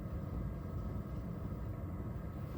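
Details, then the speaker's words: Diesel heater fuel pump runs alone with a low, soft steady rumble and faint even pulsing; quiet, well-damped pump operating normally. "this one right here is running all by itself and if you listen listen there is a lowle may last 10 minutes but then it'll go away again but even at its loudest it isn't very loud"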